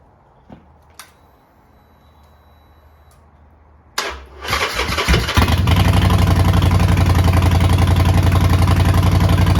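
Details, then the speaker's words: Neglected 2008 Harley-Davidson Sportster V-twin, sat a long time, first start attempt: quiet, a few clicks, then it cranks and fires within a second and settles into a steady, even idle; clean, healthy start. "Okay, that is a massive win. I will take that any day. So, great news on the startup. It fired up."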